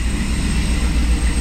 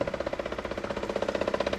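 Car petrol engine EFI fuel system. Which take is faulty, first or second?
second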